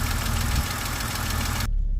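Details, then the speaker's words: BMW X5 E70 at idle, engine bay, with a fast light lifter tick after sitting about a month, oil drained from the hydraulic lifters; fix is revving to about 3,000 rpm for two minutes to recirculate oil. "all right so you can hear that lifter tick noise and uh on this video what I'm going to do is show you how to get rid of that um the car has been sitting for about a month so all of the oil has drained from the lifters"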